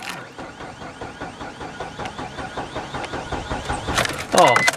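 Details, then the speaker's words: Mazda 626 cranked after removing and reinstalling the ignition coil pack, with the spark plug wires left unplugged. Steady rhythmic starter churning for seconds with no catch or firing, so it cranks but won't start. "I forgot to plug in the plugs. That's cool. So it's time to plug the plugs in. Isn't that cool? It just went tuk forever."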